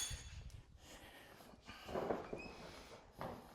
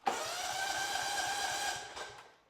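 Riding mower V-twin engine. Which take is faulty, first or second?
second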